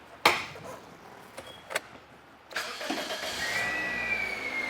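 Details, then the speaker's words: A Toyota Corolla that had an intermittent lean P0171 code cranks briefly, catches and settles into an even, steady idle with no odd noises; the fuel pump is the suspected cause. "So, right there, as you can hear, the engine is running. The engine sounds good, actually."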